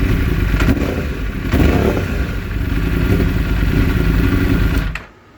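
Uneven, stumbling note with irregular pops instead of a clean, steady pull before the engine shuts off; a misfire.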